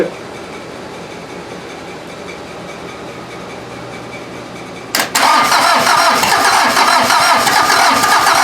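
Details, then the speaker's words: VW diesel (Mazda offroad build) cranked from a battery charger setup: starter cranks hard and steady, close to catching, smoke from exhaust; owner thinks it needs more cranking rpm and a battery. "it ran for like half a second I'm probably gonna have to buy a juicer you fired and you I need a more rpm"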